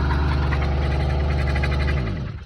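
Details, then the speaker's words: Two-stroke brush cutter with cable drive, mowing mixed grass; steady drone with fast, even clicking chatter, then winds down; centrifugal clutch slipping because the blade is jammed in grass. "то клацає, бо е сцепление хоче вже крутити, а диск впертий в траву. Із-за того клацає пробуксовка сцепления."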